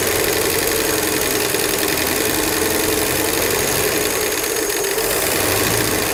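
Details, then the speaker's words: Ford 240 inline-six in vintage telephone truck, replacement low-mile engine, oil light goes off instantly on cranking, no driveshaft fitted: busy fast lifter clatter over steady idle without letting up; noisy top end, owner unsure why, possibly stuck lifters. "I don't know why those lifters Are CL clattering so much I mean I guess it's possible they could just be stuck but I don't think this thing's been out and not running very long"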